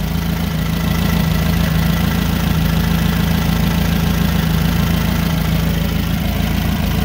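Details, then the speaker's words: Nissan forklift with K21 engine, bad catalytic converter, started at idle: low, uneven, lumpy rough running from a single-cylinder misfire, being diagnosed with an amp clamp on each coil's current ramp. "all right so i'm gonna start it up you can hear it it runs rough"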